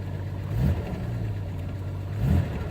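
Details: 1992 Jeep Cherokee 4.0 L, 5-speed manual, started after sitting for long periods and treated with Lucas oil additive; oil pressure reads high. Steady low hum with two smooth throttle blips swelling and settling back; revs cleanly, sounds healthy.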